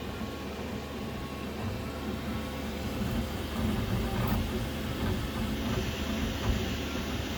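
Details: Qidi Q2 3D printer: loose, uneven rattle chattering over the low stepper hum as the head travels, from a loose print head.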